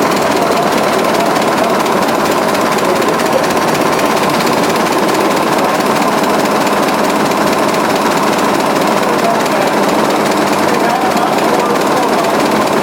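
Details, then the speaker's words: 1920s 45 hp General Electric genset, serviced after over 10 years unrun, governor being adjusted: fast, even, unbroken firing chatter, no misses or surges over 13 seconds; running healthy. "exhaust goes across the room here in that pipe comes outside here oh loosen it pretty healthy sound"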